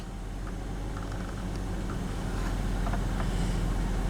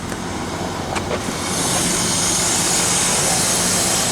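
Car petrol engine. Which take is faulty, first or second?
second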